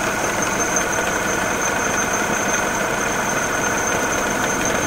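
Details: Mini Cooper R56 with N16 engine, original condition: steady idle with a dull, even knock while the friction-wheel water pump drive is engaged. Idle is also rough, with vibration and friction-wheel clacking when the pump is not driven. Source not pinned down.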